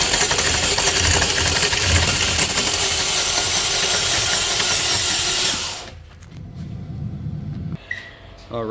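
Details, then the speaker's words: 2011 Chevy Equinox 4-cylinder: starter spins the engine fast and evenly, about four beats a second, never catching; compression test confirmed low compression on cylinder 4. "Alright, she's got low compression on cylinder 4."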